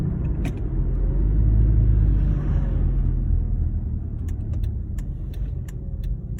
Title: 2009 Honda Accord intake and exhaust leak